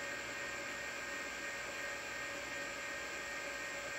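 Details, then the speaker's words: Tandy 1000HD half-height hard drive after lubricating its spindle bearing to fix a failing drive: quiet, steady high whine, spins up then quick seek, no grinding; drive running normally and booting. "I can already tell just by the sound of it that had booted to the C Drive because I don't know if you heard it but it it hard drive came up to speed and then it it did a quick seek"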